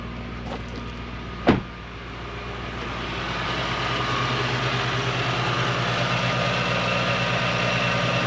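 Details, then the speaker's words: Toyota Soarer/Lexus SC400 1UZ V8 that stalled after sitting, after bearings replaced and a coil plug fixed: brief crank and catch, a rev flare, then a smooth idle at about 1000 rpm with no knocks or hunting; idle issue fixed. "so uh we appear to have a thousand rpm i've not done anything else when it starts it's got a flare which is nice"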